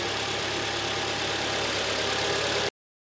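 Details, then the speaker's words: 2011 Kia Optima G4KD 2.0, 127,000 km, after piston and ring replacement for cylinder scoring: smooth even idle with a steady hum and no knocks, ticks or rattles, running absolutely quietly; a normal idle. "работает ровненько работает абсолютно тихо никаких посторонних шумов"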